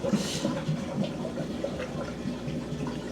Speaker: it's making noise but she's draining she's draining she's draining and this isn't filling up that's it she's empty